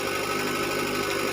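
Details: Toyota Caldina with 1AZ engine after replacing a blown 20A EFI fuse that caused five months of no-start: steady, even idle hum with constant pitch and no stumbles or knocking; idling smoothly.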